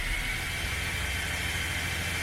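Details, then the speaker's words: Freshly rebuilt car engine, first start after machining, in neutral, cooling system watched for head-fault pressure: steady even cranking whirr, turns over lightly with no knocks or binding, oil light went out; normal cranking. "demos a partida no carro você viu que o motor girou leve mas girou mas ele não deu nenum um tranco não deu nenhuma batida isso é um bom sinal"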